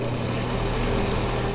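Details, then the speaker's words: Noisy bathroom exhaust fan (Broan/NuTone type, replacement motor BP27): loud, steady droning hum with a coarse rattly edge as the motor runs rough, likely worn bearings; noisy or squealing fans usually need a new motor. "so really the only two issues you come across with bathroom exhaust fans is either one they're not working at all or two they're super noisy"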